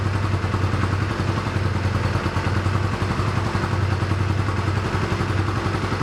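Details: 1985 Honda Rebel, 2,000 miles, first start after 17 years stored, cold on choke: low uneven idle that won't settle or take revs. Rough running on choke, clogged carburetor jets.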